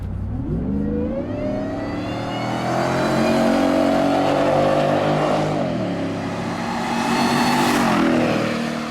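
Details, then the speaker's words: 2017 Shelby F-150, 750HP supercharged 5.0 Coyote V8, new stainless dual 3.5-inch megaphone exhaust, heard outside in a flyby: loud, smooth, rising note under acceleration with no rasp, drone or rattle; normal exhaust. "I got to hear this thing on the outside because inside the cabin, this is completely livable. But judging from when we were revving it up before, it was making a ton of noise on the outside."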